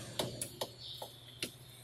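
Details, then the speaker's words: Toyota Corolla brake pad loose in the caliper, rocked by hand: sharp irregular tac-tac clicks, about five in two seconds. The same knock is heard when driving over potholes; the cause is a loose brake pad. "Escutando? Esse barulho, tac, tac, tac, tac, tac, você passa um buraco."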